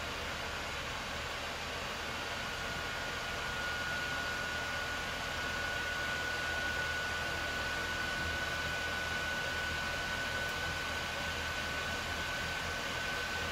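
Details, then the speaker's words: Early-model PS4 Pro under heavy load running Modern Warfare in 4K: the factory fan spools up to a loud, steady rushing "jet engine" whine. Dusting and new thermal paste didn't help, so the fan is being replaced with an aftermarket fan. "but i think i can already hear it starting to spool up you can hear it going now still getting louder"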